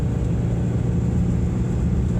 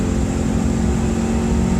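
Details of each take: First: 1993 Subaru Impreza GC2 with the EJ18 engine, FWD, accelerating up an interstate on-ramp: the engine pulls through the revs with a deep, raspy, uneven puffing from a bad exhaust leak. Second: 1993 Subaru Impreza GC2, FWD, EJ18 engine, manual with cable clutch, quick downshift into third at just over 60 mph: steady engine drone holds an even pitch with no crunch or grind; clean, healthy shift, solid shifter engagement.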